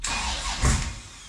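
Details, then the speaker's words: LS V8 sandrail after its fuel pump was relocated lower: starter churns with a brief stumble that dies without catching. Cracking the fuel line showed the fuel pump was running backwards, so the engine cranks but won't start. "We're gonna crack the fuel line and see what's going on. That's the problem. Your fuel pump's running backwards."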